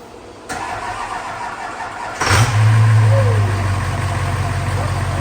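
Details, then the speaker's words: Duramax diesel drag truck under repair, battery slightly drained; brief starter whir, then lights off promptly into a steady, even low idle with no knocks or misses; runs well with oil pressure. "Sounds like she's running good. Sure. She's got oil pressure. Oh yeah, everything looking good."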